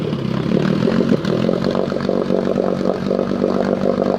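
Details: Engine with choke off and idle turned down until it sputters: low uneven idle with lumpy stumbling beats and occasional skipped firing, a rough misfire at too-low idle speed.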